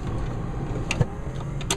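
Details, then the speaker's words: 1970 Plymouth Cuda in a pre-delivery inspection, key on, blower motor switched on; slide controls work. Steady low motor hum with a couple of light clicks, smooth, no grinding or squeal. Normal blower motor. "There you go, you can hear that. That's the blower motor."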